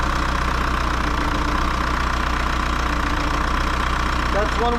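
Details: VW Jetta TDI diesel, bought non-running with no compression and now restarted, idling: uneven stumbling knocks losing rhythm, misfire-like; a fuel line issue lets too much air in, rough idle from air in fuel.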